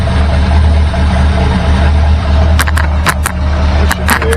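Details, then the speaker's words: 1964 Galaxie V8 with new points, plugs and wires that was losing spark off idle on cylinders 6, 3, 7 and 8: fairly even, deep idle once the vacuum advance is unplugged. A faulty advance plate is suspected. "sounds a lot better there um something goofy with the advanced plate i believe"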